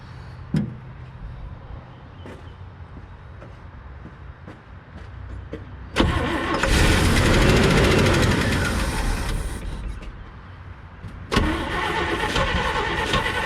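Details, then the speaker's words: 1979 International Scout II after sitting 20+ years, run from an auxiliary tank because of a clog at the tank: long bursts of even cranking, three or four beats a second, with no firing; Edelbrock carburetor needle and seat apparently stuck. "let's see if the carburetor needle and seat does anything like it's supposed to"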